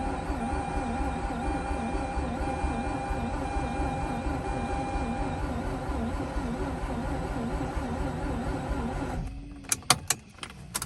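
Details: Mazda RX-8 rotary that has sat on 2-year-old fuel: long, wavering starter whir with no firing, then stops with a few clicks; cranks but will not start.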